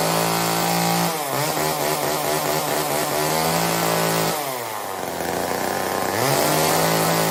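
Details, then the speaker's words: Old Homelite chainsaw, owner guesses 1960s or 70s, cutting wood after reassembly: two-stroke revs up, bogs as the chain bites and recovers between cuts; pulls cleanly under load, healthy, though owner says it could run better. "I know it was kind of short, and yes, I could probably get that running a little bit better, and I probably will mess with it. But for right now, that's as good as it's gonna get."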